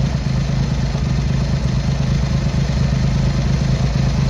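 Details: Triumph Hurricane X75 triple, not fully warmed up, after carb rack rebuild, pilot screws richened and left carb adjustment corrected: steady, fairly even low idle burble with light top-end clatter; running better, slightly rich with dark smoke off idle.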